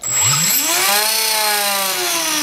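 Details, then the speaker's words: Bell CPX good-condition motor (RC heli) driven by the R6 build's speed controller, testing whether controller or the 3800KV R6 motor is faulty; clean whine climbs quickly then holds steady, no stutter, runs smoothly, so the controller works. "run smoothly no problem one of the wires just got loose because a different size as you can hear absolutely no issue"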